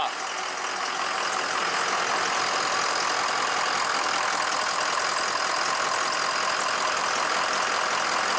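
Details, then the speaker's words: Diesel truck engine rebuilt after piston replacement, with O-ringed heads and ARP studs, restarted after most of the air was purged from the fuel and oil systems: fires right off into a steady, even clatter with a light tick, idling cleanly while warming up. "start it back up as you can tell that sounded a lot different now i got most the air out of system fired right off"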